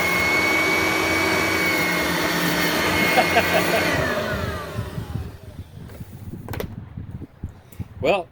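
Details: Riccar Supralite upright vacuum after servicing, self-propel test on a wood floor: steady, strong motor whine with no grinding or rattle, then a clean wind-down; working normally and pulls itself along.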